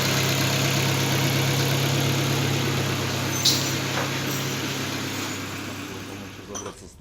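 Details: Volvo S40 with a Ford 1.6 petrol engine, after a valve-tapping complaint was repaired: a steady, even idle hum with no valve tapping, then the sound fades out.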